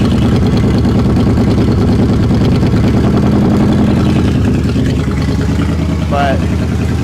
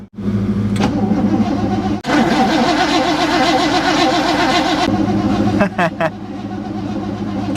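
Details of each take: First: 1960 Chevrolet Impala, not run in over 10 years, after a fuel fix: loud, low idle with an uneven, stumbling beat and occasional sputters; surging gone, no longer dripping fuel, smoking a little, cause of the sputter not yet found. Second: 1960 Chevrolet Impala four-door, sitting 32 years, on a new battery with the key switch: starter spins the engine steadily at about two and a half turns a second, no drag or hesitation; normal, healthy cranking.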